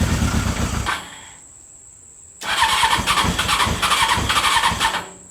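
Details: CBR600 engine in a reverse trike after two years sitting and a carburetor cleaning: short crank and pause, then it catches and runs with a quick, even four-cylinder burble before shutting off; starts and runs, though not properly tuned.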